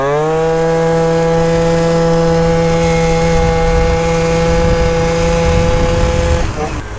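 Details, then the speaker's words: Yamaha Zuma bug eye scooter, freshly built engine, on break-in ride without a temp gauge: high, clean two-stroke buzz strong and even under load, then backing off; normal acceleration with good power. "Who would have thought the beater bug eye would feel this dialed, dude? And she's got some power."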